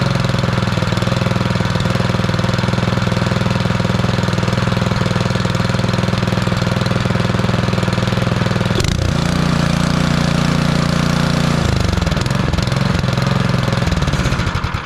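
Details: Bolens (MTD) snowblower with Powermore 179cc engine after freeing a stuck intake valve that had caused popping and no start: loud, steady single-cylinder beat on choke, brief pitch change as it settles, runs evenly, then cuts off; normal running.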